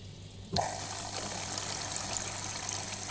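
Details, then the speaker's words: Whirlpool 6e Sens WIC3C26P dishwasher, H fault from a failing flowmeter (reed bulb contacts open), after repositioning the reed bulb: water rushes in and flows steadily, beeping gone, flowmeter turbine spinning; normal water fill. "le bip a disparu plus de défaut on voit parfaitement que la turbine tourne"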